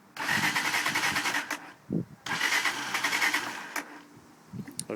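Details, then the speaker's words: Near-new TMEC 125cc four-stroke motorbike with petrol, topped-up oil and a good battery, which had been cutting out when the throttle was touched: two cranking bursts of about 1.5 seconds each, tried with choke on and off, steady starter whir, engine never fires. "my bike will not start I've not got a clue what's wrong with it it's a chiny sto tme SE cross a bike nothing wrong with it it's pretty much brand new"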